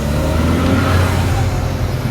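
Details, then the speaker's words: Seat Leon FR diesel on first drive after engine swap with new clutch, flywheel, cambelt and different turbo, windows open: strong steady rising drone under load and road noise, no knocks or rattles; pulls healthily. "hopefully those sounds are coming across on camera because in real life they sound outrageous"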